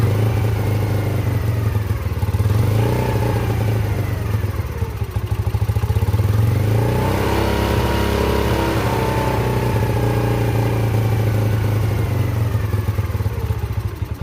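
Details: Yamasaki YM50 small single-cylinder engine after carburetor cleaning and fresh fuel, in neutral, throttle sensitive: buzzes steadily, rising and falling cleanly through several throttle blips with no misses or stumbles; runs normally.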